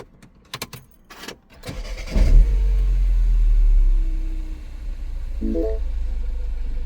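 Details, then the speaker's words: Mini Cooper R56 N18 petrol after replacing the cylinder 2 ignition coil that caused a misfire: a few clicks, quick crank catching into a smooth flare and even, steady idle with no stumble; normal start, no fault codes after a day's driving. "Okay, I've been driving it for a day now after I swapped ignition coil and the engine is running nice and taking no errors."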